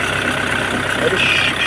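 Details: Hyundai i20 diesel at steady idle after replacing the faulty belt tensioner and two idler bearings that caused the noise: even, light clatter with no squeal, chirp or rattle from the belt side; sounds healthy.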